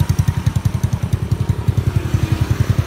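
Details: Elegant 54zz (Elegant 54) motorbike after full gearbox bearing replacement: in gear, small single thumping evenly at about twelve beats a second, no grinding or whirring; worn bearings had been loud in gears 1–4, now gearbox sounds healthy.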